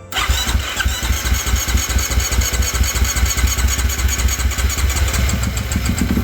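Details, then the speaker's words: 2018.5 Husqvarna FC450 Rockstar Edition dirt bike: slow to start after cranking, then uneven, lumpy low thumps, wants to die when revved; also backfires on decel and lacks power, fuel system suspected. "so here's the issue really uh when I go to start it you can hear that uh it takes a while to get going and then once it starts it when I rev it up it really just wants to die so"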